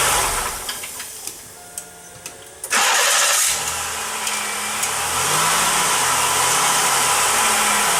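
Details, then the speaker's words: 1995 Pontiac Grand Am 3.1L V6 with the new starter on the third try, shimmed about 45 thousandths (1/64" plus 1/32"). The earlier squeal came on key release. Now a few light clicks, a short crank, and the engine catches and runs steadily with no grinding. "Well, I think that's got it. I'm not real excited about it."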